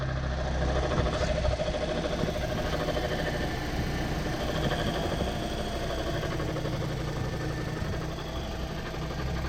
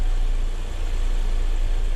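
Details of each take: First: Toyota Corolla petrol engine idling: low rumble with faint steady whirring growl from the alternator; both alternator bearings defective, one binding and one roaring, replaced to cure it; alternator bearing noise. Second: Toyota Corolla petrol engine idles with a smooth, steady low rumble and no whine or grinding after both alternator bearings, one seizing and one growling, were replaced; the earlier noise is gone.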